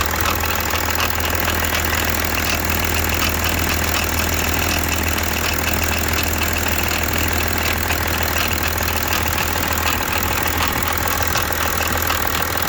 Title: BMW 730d E65 M57N2 engine noise, Timing chain. Bonnet/hood release stuck